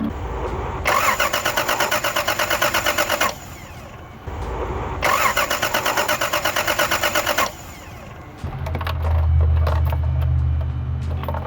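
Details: 1982 Toyota Celica Supra, original head, aftermarket headers: two bursts of steady even cranking a couple of seconds each, never firing; crank no start, spark uncertain, cause not confirmed.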